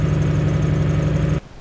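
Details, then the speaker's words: Lexus 1UZ turbo idling after a fuel system upgrade (one 044 pump connected, external regulator referenced to the manifold, so pressure drops at idle): a steady, even low idle with a smooth pulse and no knocks or misses until shut-off. Runs clean. "Oh, listen to that. So that's it, we're running, it's beautiful."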